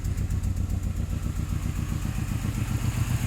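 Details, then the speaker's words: Saab 9-3 Aero warm at operating temperature, after ATF cylinder soak: uneven stumbling idle with dropped beats and chuffing exhaust leak; misfire, owner suspects cylinder four, check engine light on, no blow-by. "so you can clearly hear that it's clearly missing check engine lights it's actually getting up to operating temperature"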